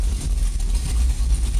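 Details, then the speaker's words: GT40-bodied car on custom chassis, heard from inside the cockpit: deep, uneven loping rumble at idle with a steady underlying beat, normal lumpy idle from the performance cam; owner notes it sounds aggressive at 3,000 rpm. "But so we got a little bit of a rumble going. I mean, you know, she's got a cam in her."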